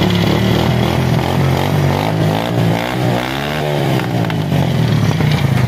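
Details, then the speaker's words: Honda CD70 single-cylinder bike after setting the carburettor mixture screw about 3.5 turns, without opening the carburettor, for fuel average: revs up and down smoothly with an even beat, no missing, stumbles or popping. "आप bike को race दे के आपको check कराते हैं तो आपने check करना है हमारी बाइक कहीं मिसिंग तो नहीं कर रही।"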